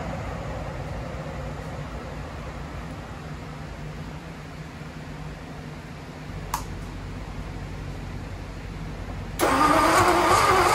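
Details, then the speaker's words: First start of a revived Ford Y-block V8. The plug wires were routed assuming clockwise distributor rotation like a Flathead, but the Y-block's turns counterclockwise. Slow cranking, one sharp backfire pop, then it lights off loud and ragged: wrong firing order. "I made an assumption because of the firing order that the uh distributor also spins in the same direction as the Flathead but in the Y block it's actually counterclockwise so it's no shock that it was going all kinds of crazy"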